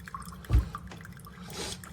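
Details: Chefman single-serve K-Cup coffee maker brewing: soft, irregular drips and a faint trickle into the cup over a quiet background. This is normal brewing, quieter than a Mr. Coffee machine.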